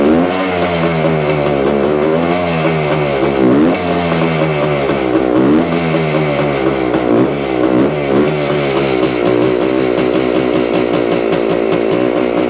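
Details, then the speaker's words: 1975 Suzuki TS-250 two-stroke after stator rewiring, coil ground repair and cleaning the wet plug, about 30 degrees out: first start, fires and holds, repeated rev blips as it warms, crisp with no misfires; loose stator screws were later found as a cause. "well it sounds sounds like we got a live one not sure what the problem was"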